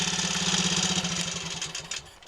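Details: Triumph Tiger Cub single-cylinder with 110 main jet, 105 needle jet, needle fourth groove, new spark plug, ignition timing slightly retarded, fuel tank secured; quick even beats fading as revs drop, no stumble or misfire: normal running.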